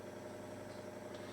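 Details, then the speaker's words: Defiant T12 valve reel-to-reel tape recorder, switched on and threaded with nothing playing: low steady hiss with faint mains hum, background noise from the amplifier; the machine has a low-volume fault. "there we go so basically set up there getting a little bit of noise out of the amplifier"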